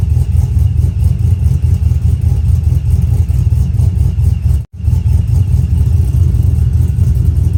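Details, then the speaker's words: Brian Tooley Truck Norris cam engine, HP Tuners over/under idle timing control just activated: deep loping idle with uneven lumpy beat three to four times a second, artificial chop from the tune. "is what the over and under timing change made some people might not like it but you actually hear a lot of cars like this on the road"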